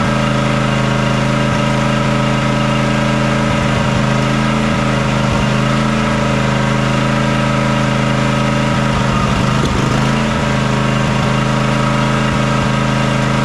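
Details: John Deere X300 riding mower that runs rough, surges and lacks power at full throttle, after fixing the choke: uneven, lumpy idle with irregular stumbles that never smooth out; fuel looks and smells fine, pointing to a carburetor or fuel fault.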